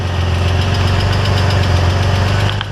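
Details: Corrado VR6 with intermittent stalling and no-spark no-start, after extending the pushed-in spring contact between ignition coil and rod: starts and idles evenly with a deep steady rumble, no misses or knocks.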